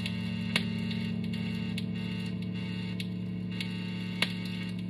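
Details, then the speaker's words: Electric guitar through an amp, phone about one foot away; steady low 60-cycle mains hum with faint buzz and random clicks, ground noise that goes away when touching the hardware. "all right whenever i touch the hard parts that noise goes away"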